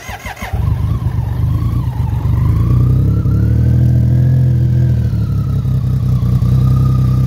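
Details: 1988 BMW K75 first start after sitting 22 years, rubber and fuel parts replaced, tank cleaned of varnish, new battery: fires cleanly, smooth even revs rising and falling on choke, no misses or rattles.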